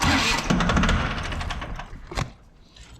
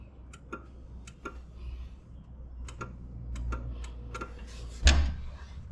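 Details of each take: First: John Deere 750 tractor that sat a while, bad PTO/neutral safety switch bypassed by touching its wires together: starter cranks briskly for about two seconds, then stops without the engine catching. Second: John Deere 750 tractor, sat a while: with key on and bad PTO/neutral safety switch wires touched together, irregular clicking heard but starter not engaging; jumpering the wires gives starter.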